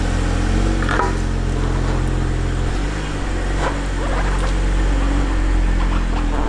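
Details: 2012 BMW 135i E82 N55, totaled auction car rebuilt with aluminum radiator and upgraded intercooler, before its first drive: deep, even idle with a steady low rumble and no knocks or misses; engine runs healthy; normal idle.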